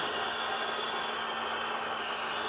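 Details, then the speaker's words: 2022 Ford F350 Dually after fuel filter change, engine off: steady electric buzz and even hum as the fuel lift pump primes, pushing air out of the filters. "That is the fuel pump pumping air out of the filters. So we got to keep doing that till it's primed."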